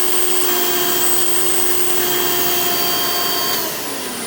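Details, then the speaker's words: Vintage 1990 Hoover Elite 700 upright vacuum (U4511-900), direct-air design: steady motor whine with loud airy hiss as air leaks past the bottom-mounted tool converter, heavy suction leakage. "as you can hear definitely a lot of suction leakage but so it wasn't really the most ideal setup for these Hoover Cleaners back then"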